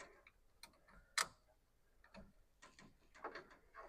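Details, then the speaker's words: 1929 Ford Model A truck hot rod with a replacement engine fitted: faint, irregular sharp clicks in the quiet truck as a dash relay chatters, thought to be the hot switch; exact culprit unknown. "this was clicking what was clicking uh one of these relays here was clicking that must have be the hot switch"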